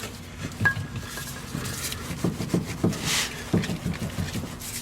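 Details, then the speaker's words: 2004 Honda Element, vehicle on the ground, rear stabilizer bar wiggled by hand: loose hollow clunks and knocks in uneven bursts; worn rear stabilizer bar bushings, later replaced. "so all I did was grab this bar like this and wiggle it back and forth I'm hoping you can hear"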